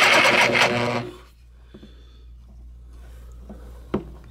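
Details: DeWalt DW309 corded reciprocating saw: the motor whirs about a second, then spins down with faint clicks, but the blade holder does not move at all. Motor runs but blade does not reciprocate, cause unknown.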